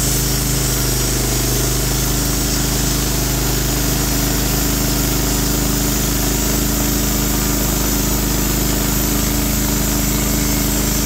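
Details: Norwood HD36v2 bandsaw mill with new roller guides replacing the ceramics, slabbing big black oak in 1.5-inch cuts: steady engine drone with constant blade hum, no bogging, squeal or chatter; band sounds happy, normal cutting under load.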